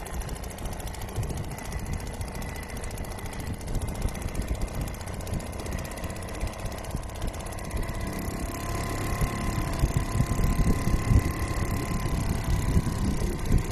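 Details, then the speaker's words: Restored old Seagull 40 Plus two-stroke outboard in the sea, revs raised because it stops pumping water at low revs. Rough, busy putter lifting slightly toward the end, holding steady. Healthy running after cleaning everything out; throttle cable did not need replacing. "So I think that's where it's comfortable revving. and pumping water, which isn't too bad."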